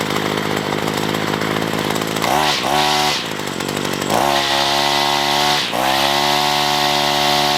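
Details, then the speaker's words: Free roadside Ryobi two-stroke weedeater, on a first run after reassembly. Idles fine but bogs at full throttle; the heavy three-string head is suspected as a possible cause. "so the weed eater runts and idols fine it seems like it's bogging down a little bit whenever I give it on full throttle"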